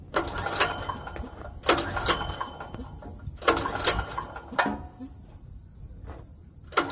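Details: Generac GP5500 portable generator, bought used about a year ago and left sitting; about five recoil pulls a second or two apart, engine spins briefly but never fires; no-start because the fuel tank is empty.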